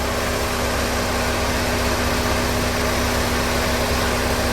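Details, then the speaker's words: 2013 Chevrolet Equinox 2.4 L Ecotec after timing chain replacement and oil change, idling with no leaks: smooth steady idle, even hum, no ticking, rattle or chain slap; healthy. "Timing chain's on, let's start it up. Make sure there's no leaks. I don't see no leaks."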